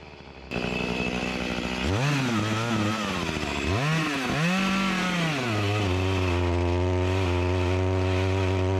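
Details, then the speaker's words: Echo CS-352 chainsaw that starts then dies, cutting wood; revs rise then sag and labour unevenly, never holding full speed; lacking power even with carburetor screws adjusted to max; bogging under load from fuel starvation. "this isn't getting the gas that it needs it's lacking the power I adjusted the screws to the max"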